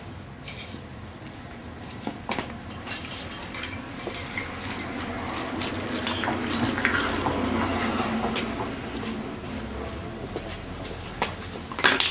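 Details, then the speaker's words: StreetStrider joint #3: loose, irregular metallic clinking, about two a second, as the pedal works, from a rattling spacer; one side has been fixed with grease and reassembly, while the side heard still rattles. "oh this side still has a rattle that side does not you're hearing the rattle from this side"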